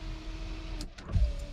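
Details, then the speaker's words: Honda Accord rear power window, previously dead because fuses were missing, after fuses installed and glass fitted, key on: smooth steady motor hum while glass travels, then stops; window works normally. "since i was able to figure out the fuse i um i got the window in so it finally has a window and it rolls up and down"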